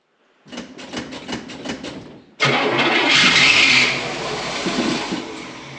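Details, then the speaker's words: Rebuilt Fummins diesel engine with turbos, injection pump timing just set, first start after four months, cold and possibly low on fuel: cranks about six even compression strokes, then catches cleanly and runs steady; a healthy cold start. "Sounds fantastic. Yeah, she's just got, it's cold."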